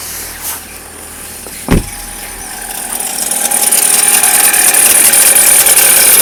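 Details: Chevrolet Cruze, cold start below 0°C: a high metallic ringing builds over the idle and holds steady, then fades after about a minute of running; no noise at 0°C and above; cause unclear.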